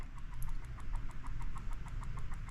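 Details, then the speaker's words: Retro Duo game console with no charger, powered through a PSP charger: faint, fast regular ticking buzz, about seven or eight pulses a second, over a low hum; screen flashes, owner suspects capacitor or a dead battery, cause unknown. "you can hear that, I don't know if that's a capacitor or what's going on."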